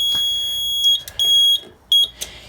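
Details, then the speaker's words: RP1002 agent release panel (FM200 system) after a manual pull station discharge: high, steady electronic tone in short repeated bursts with gaps; the panel shows release, meaning it is dumping the agent. "Now the panel is into release, as you can see. Whenever it says release on it, that means that it's dumping the agent."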